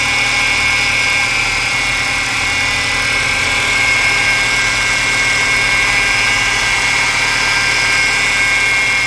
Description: Se vc tá escutando um barulho similar a esse som, fique tranquilo. São apenas as polias da Correia poly v que precisam ser trocadas.